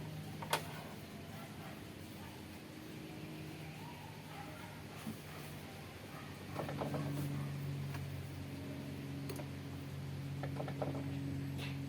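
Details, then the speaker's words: Mitsubishi Adventure diesel after repairing hard start and misfire caused by air entering through a fuel pump leak: starts on one click, low steady drone with no misses or knocks; back to normal idle. "So ngayon pakita ko sa inyo ha. One click lang yung start. Back to normal na naman tayo."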